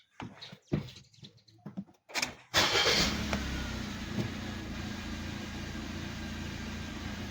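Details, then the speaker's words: 2012 Suzuki Swift after throttle body cleaning and air duct refit: engine catches at once and settles into a steady, quiet, even idle with no misses; starts and idles normally. "โอเคครับก็สตาร์ทติดปกตินะครับเครื่องก็นิ่งปกติเงียบปกตินะครับ"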